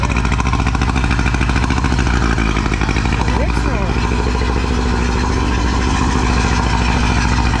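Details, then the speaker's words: Two-stroke outboard on a tinny, unrun for at least 8 years, in neutral: even, buzzy two-stroke idle with a steady beat, no misses or knocks; running smoothly. "Uh, this is not a stitch up. That thing literally hasn't run in I reckon at least 8 years. Um, that's pretty crazy."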